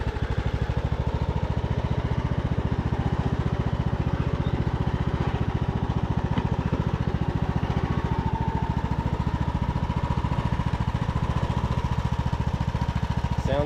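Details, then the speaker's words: Craftsman YT3000 riding mower revived after years abandoned, fuel-primed and started: steady, low, even thumping idle with no squeal or knock from the pulleys. Normal idle. "good to me I don't hear anything pulley sound good awesome"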